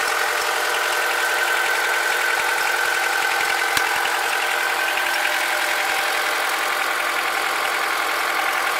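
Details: Honda K20Z2 engine at idle: light, fairly regular ticking about 160 times a minute over a steady idle; abnormal extra engine noise, cause unclear.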